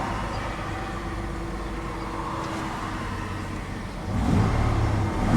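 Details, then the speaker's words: 1994 Ford F150 after new spark plugs, fixed EGR vacuum lines and injector replaced, cold start: even idle hum, then two quick throttle blips picking up cleanly and falling back smoothly; revs nice and smooth. "Rev's nice and smooth."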